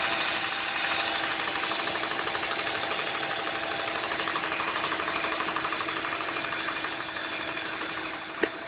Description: Ticking Noise from Engine. Sounds like its the injectors